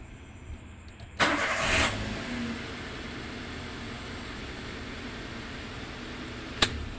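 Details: Toyota Avanza that would not crank despite normal battery, starter, fuses and relays, traced to the immobilizer remote/key control unit; brief starter whirr, immediate catch into smooth even idle: normal crank and start.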